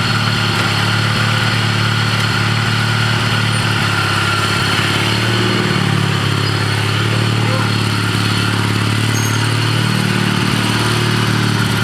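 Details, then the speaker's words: Old Ariens walk-behind mower fitted with a used lawnmower engine, idling in neutral after choke start: constant low drone with rough rumbling from the drive side; transmission input pulley bushing or bearing suspected worn out, not confirmed, though drive still works. "It sounds like the input pulley on the transmission, the bushing or bearing, probably bushing for the input shaft, sounds pretty wallered out. That's quite a bearing noise coming from the transmission."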